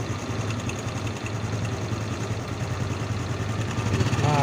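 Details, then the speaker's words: Honda Supra X 125 engine idling rough with a metallic chattering rattle that comes and goes, not yet severe, louder when revved; mechanic checks cam chain tensioner and chain; suspected cam chain tensioner rattle. "Nah jadi ini teman-teman bisa dengar ini suara mesinnya agak kasar Seti kemericik bisa dengar ya cuma ini belum terlalu parah jadi bunyinya itu cuma"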